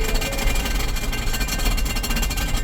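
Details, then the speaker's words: 2018 Ford Explorer 4WD, 51,000 miles: rapid irregular clack-clack rattle over the running engine when shifted into drive, reverse fine; transmission problem. "it makes a clack clack cl cl cl cl clck noise when um when you put it in drive when you go in reverse it reverses fine it's going forward is where it makes the noise"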